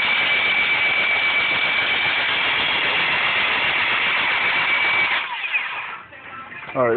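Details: 1996 Honda Accord 4-cylinder after broken timing and balance belts, all belts, cap, wires, plugs and crank position sensor replaced, spark present: starter spins steadily with an even whir about five seconds but never fires; cranks, won't start, cause unknown.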